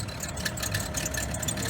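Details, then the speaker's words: 2011 BMW 535i at cold idle, 7 a.m.: rapid dry chatter and faint ticking over the engine hum from the belt tensioner pulley, which is noisy when cold; it is to be replaced today after earlier tensioners, possibly from eBay, failed. "that's my belt tensioner i'm gonna be changing it today i just wanted to show you he does it in the morning when it's cold"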